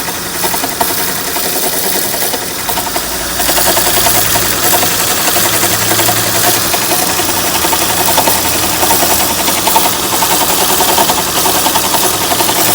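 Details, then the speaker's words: Running V6 Honda Accord (3.0 or 3.5) with a fast, flapping rattle and a gritty high-pitched hiss, sounding like a timing belt flapping inside its cover but actually a bad alternator bearing. "isten to it when it's a bad alternator bearing. It almost sounded to me, this was probably like 3 or 4 weeks ago, and it sounded to me like the timing belt was flapping inside the cover."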